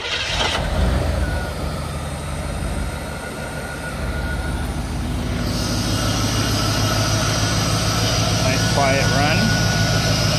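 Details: 1986 Pontiac Firebird Trans Am TPI V8 with a newly adjusted throttle position sensor (set to .54 V at closed throttle) and an aftermarket bored-out throttle plate: it fires quickly and settles into a steady, even idle with no misses, knocks or hunting; normal idle.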